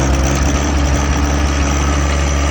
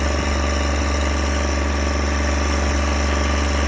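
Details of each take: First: John Deere 1023E diesel tractor, first start after petrol was accidentally added and drained, fuel system primed: deep steady diesel thrum with a slightly uneven, lumpy beat. Running a little rough and smoky at first, but it started. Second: John Deere 1023E diesel tractor after accidental gasoline fill, tank siphoned; past the rough, smoky start it now runs at steady speed with an even deep hum, no misses or knocks, settled and smooth.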